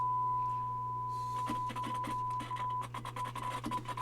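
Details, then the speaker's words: Pioneer SX-1280 receiver, test tone while wiggling switches: irregular scratchy crackles and cutouts, channels jumping on and off; dirty switch contacts, all controls need cleaning before further testing. "I'm just wiggling the switches right now so yeah we're going to have to clean some controls it the other channel jumps around a little bit there it goes oh now the other Channel's on and that Channel's off"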